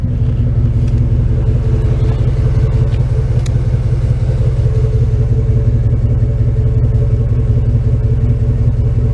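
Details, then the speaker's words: 1995 Chevrolet Tahoe with newly installed V8 engine, replacing a worn 195 hp original, driving; deep steady rumble, even pulses, no misses, ticks or rattles; normal exhaust note. "Anyway, she's starting to wake up, and let's listen to the exhaust."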